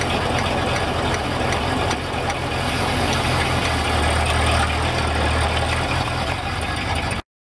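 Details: 1975 Corvette Stingray, camera mounted under the car: light fairly quick ticking, about four a second, over low engine rumble, from the rear end.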